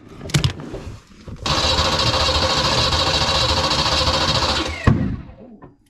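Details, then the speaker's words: Foxbody Mustang project car, newly swapped drivetrain, on its first start after fixing a no-power fuel pump connector: engine fires, runs a few ragged seconds, then a sharp pop backfire as it dies; owner thinks it is very low on fuel. "It's got fuel. Whew. Little backfire. I think it is very, very low on fuel."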